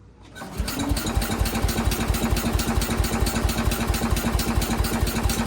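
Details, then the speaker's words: 1968 Case 155 garden tractor, unused over 20 years, with a mechanical fuel pump: starter cranks evenly at a little over two turns a second to fill the carburetor bowl, no firing yet, no catches or grinding. "this has got a mechanical fuel pump so we're going to crank it for a little bit have to fill that bowl up with fuel and hopefully hopefully it'll take off"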